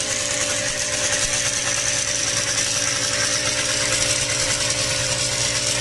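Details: Yamaha DTR125 two-stroke motorbike, new piston fitted three days earlier, carb flooding from overflow pipe; busy idle with fast hollow metallic rattle steady with revs, first suspected valve clipping piston, found to be piston slap.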